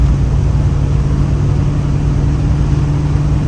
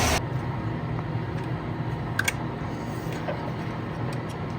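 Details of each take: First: 1965 Plymouth Fury III, 318 Poly V8, 727 3-speed automatic, after timing set and vacuum advance hooked up; deep even drone pulling hard under load, no pinging; better acceleration, no detonation, timing safe. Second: 1965 Plymouth Fury III, 318 Poly V8 with points distributor, dwell reading about 17 against 28–33 degrees spec; uneven loping idle with irregular firing pulses, timing scattered per cylinder; rough idle from worn distributor.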